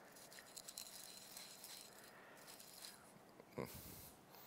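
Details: Yamaha YXZ1000R engine during a bottom-end rebuild: a bearing turned by hand gives a quiet, gritty rattle, rough instead of smooth, from a worn bearing near rust found low in the engine. It was pressed out.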